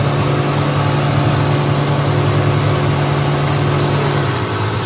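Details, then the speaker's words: 2014–16 Suzuki Mehran with a long-crank cold-start problem, after fuel injector cleaning: smooth, steady idle with an even low hum that drops to a slightly slower speed once the fan connector is plugged in; normal idle. "अभी आप हो गया है ये लगा रहे हैं connector गाड़ी स्लो हो गई है सही है गाड़ी हो गई है स्लो"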